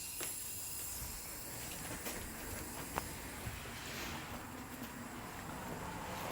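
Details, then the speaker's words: Willys Jeep replacement engine (seller claimed it ran great; smokes heavily, bent distributor shaft) under shop-air leak-down test: steady hiss with faint gurgling spurts from the exhaust, with ATF poured into the cylinders bubbling out; air leaking past valves and piston rings into exhaust. "hear the ATF I dumped down the soldiers leaking in the exhaust yeah there's a lot coming out here we've got a view both valves and piston rings"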